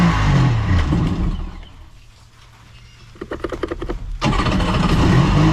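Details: 1999 Kawasaki 900 STX jet ski two-stroke after starter replacement and piston repair, battery recharged to 13.3 V after it likely drained from the key being left on: loud running fades, quick regular cranking pulses, then catches and runs strongly; starts normally.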